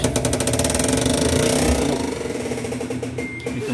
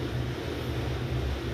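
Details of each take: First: Fully automatic washing machine, spin mode: fast rhythmic clattering, about four knocks a second, as the drum strains to spin. The motor pulls but the brake isn't releasing enough and drags; it needs adjusting. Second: Besat fully automatic washing machine, empty with no load, after the spin-mode noise repair: a low, steady drum hum that runs continuously without stopping or restarting, with slight vibration remaining. Normal continuous spin.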